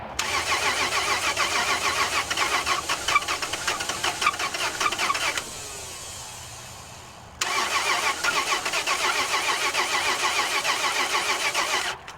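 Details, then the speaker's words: 2004 Toyota 4Runner, 4.0 V6, automatic, 4WD, known bad engine: two rough start attempts with harsh uneven clattering over a thin idle that cuts out; engine knocking on start-up, badly hurt. "Ooh. That does not sound good."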